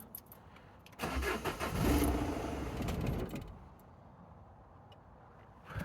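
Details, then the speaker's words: Engine after tensioner and belt replacement, run with two turbo/intake pipes removed: starter churn catches into a brief rough run for about two seconds, then dies; owner suspects the removed pipes. "Well, I'm guessing that cut out because of these pipes."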